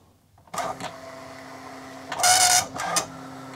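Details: Commodore MPS 1500C colour dot matrix printer running its setup routine (Epson JX-80 emulation, colour ribbon) while connected to an Amiga: short buzzy print-head bursts with brief pauses and feed whirs between lines; running normally.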